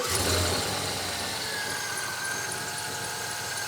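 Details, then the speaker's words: Chevy Avalanche just after installing an OE made-in-China cam sensor, recorded outside at idle: light fast tapping under steady idle with belt squeal on top; tapping appeared once sensor installed, origin unclear. Ticking noise. "You guys hear the tapping? I don't know if you can hear it or [Music] not. Don't worry about the belt squeal, but there's a tapping there."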